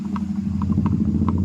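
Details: TVS Apache RTR 200 4V motorcycle with about 70,000 km: uneven knocking taps, several per second, over a steady engine hum. Bottom-end knock from worn crankshaft bearings; cylinder and piston removed for repair.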